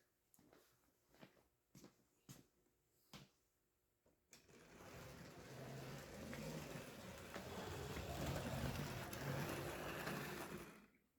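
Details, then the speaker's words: Old Mantua/Tyco Santa Fe F9 HO-scale locomotive on test. After sharp ticks, the thin motor whir wavers in pitch and loudness as it stutters along past a crossover; it runs, but too poorly to pull a train. "oh there we go I was afraid she'd hang up on that crossover oh she's stuttering"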